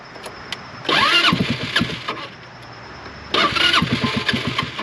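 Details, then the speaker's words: Vehicle that had sat a long time, battery side terminal barely connected: two brisk cranking bursts of about 1.5 s each, starter spins well but the engine never catches; cranks but will not start. "yeah it turns over much better with that on there so that's nice of course it doesn't really want to run"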